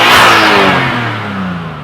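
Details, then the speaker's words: Nissan R32 Skyline with HKS air intake replacing restrictive stock intake: loud throaty rev climbing and easing off smoothly, no knocks or misses, louder and different than stock; normal revving. "But if y'all did watch one of the videos, y'all know this is loud. It's good. Sounds. Oh my. Sounds different."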